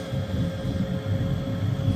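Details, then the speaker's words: 90% condensing furnace on a no-heat call, pressure switch not closing (code 312): the inducer draft motor labours with a strained droning hum because the flue is full of water from poor drainage; the fix is re-running the flue pipe with proper pitch. "yeah I don't know if you can hear that but that's basically air trying to pull and then if you can hear this it's struggling"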